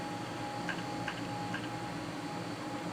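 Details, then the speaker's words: Computer's hard drive clicking, repeated sharp dry head-seek clicks every half second over quiet fan hum; drive was fine when installed but clicks increasingly, and this machine has gone through several drives, cause unknown. Failing hard drive. "It does work, so you can hear it, drive is clicking. I have no idea why, but this machine seems to go through hard drives really quickly."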